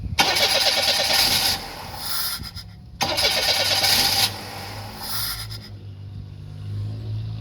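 Starter cranks fast in two long bursts with a pause between, and the engine never fires cleanly; hard starting, cause not evident.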